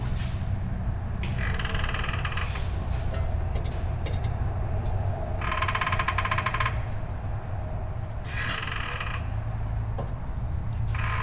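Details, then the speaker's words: Dodge Dakota 5.9L 360 Magnum V8, engine turned over by hand with transmission connected: slow cranking with bursts of high squealing screech each rotation over a low rumble; source unknown, possibly internal, while diagnosing a ticking noise. "it's uh kind of a little bit of a screeching sound so I don't know could very well be something in the engine but we obviously want to try to diagnose it as good as possible"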